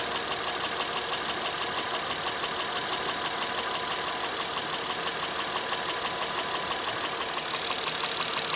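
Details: Honda Pilot 2 engine at idle, heard both hot and cold: steady light, sharp metallic tapping about three per second over a smooth idle; internal engine knock, cause not pinned down.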